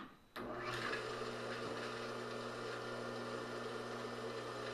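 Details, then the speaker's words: Rebuilt Craftsman table saw motor after freeing up its bearings, first run: steady hum at constant speed with a faint light rattle and ticking; owner suspects the forward bearing is worse than thought. "that ticking noise it's that rattle I don't like hear it it's that forward bearing I think maybe they were worse than I thought"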